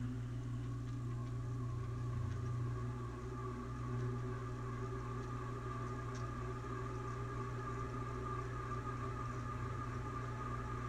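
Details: Dusty ceiling fan running at full speed on high: steady low hum with rough, gritty edge from dry bearings; faint squeaking in reverse, blades possibly unbalanced.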